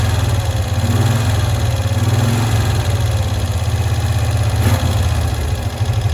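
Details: 1965 Cushman Truckster small twin, sitting one year, after freeing a stuck valve, air filter cover off: low, even putt-putt ticking over steadily with no misses or surging; smooth, settled idle.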